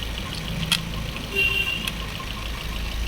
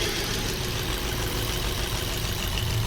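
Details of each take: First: Maruti Swift BS6 with CNG after replacing three ignition coils: steady, even low hum of a smooth idle with no stumble; the heavy misfire is cured. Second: Maruti Swift BS6 with CNG and ABS light on: rough, lumpy misfiring idle with two ignition coil connectors unplugged so it runs on only two cylinders; coils were then replaced.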